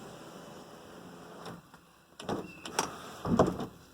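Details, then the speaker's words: 1987 Mercedes 300 SDL sunroof after greasing rails and sliders: short motor runs with clean starts and stops, no grinding, squeal or binding; sunroof glides smoothly. "all right let's see how smooth this is after greasing it oh yeah very nice"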